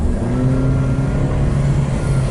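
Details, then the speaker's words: 2012 Nissan Versa (Latio) with codes P0223, P1121 and P0123, transmission and engine reportedly replaced: engine revved to about 3,000 rpm with a hard drone, yet the car barely moves and stays under 30, feeling like a slipping transmission. "I'm going all the way up to like 3 000 I'm not moving and we're going anywhere not even going over 30."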